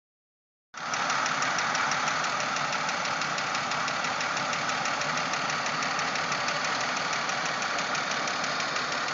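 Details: 1997 Pontiac Grand Prix GTP at steady idle: sharp, fairly even knock about three or four times a second over the engine; cause not evident.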